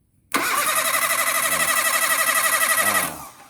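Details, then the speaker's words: Perodua Kembara cranked via a wire run from the starter solenoid terminal to battery positive with the key off: steady fast cranking about four beats a second for nearly three seconds, never catches. "Sambung pergi positif kalau mau start. Kalau tidak on kunci, kalau kita start dia macam."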